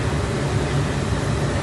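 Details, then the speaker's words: 2003 Nissan Pathfinder blower fan stuck on high, even with climate control off, steady loud rush and low hum never changing speed; failed blower motor resistor, fixed by replacing it. "the fan speeds don't work it just blows out strictly high speed even when you turn it off"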